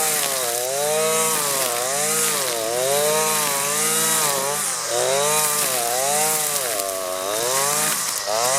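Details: Husqvarna 525L string trimmer at full throttle plunged into the thickest pond-edge grass: high two-stroke buzz, pitch sagging and recovering every couple of seconds, slightly bogging; healthy under heavy load.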